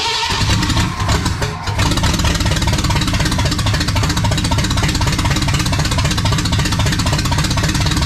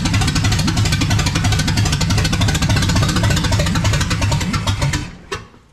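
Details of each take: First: Restored 1979 Ford F100 with a brand new engine on first fire: a brief stumble, then the V8 catches and runs with a strong, even low rumble, sounding healthy. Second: Restored 1979 Ford F100 with a brand new engine on first fire: rapid, choppy firing about three beats a second for five seconds, then the engine fades out and dies, stalling possibly because it had no gas in it.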